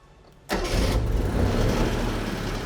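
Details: Restored 1967 Honda, the first Honda car imported to the U.S., first start in almost 50 years on choke: a quick crank, then it catches at once and settles into a steady, even, buzzy idle. Normal engine start.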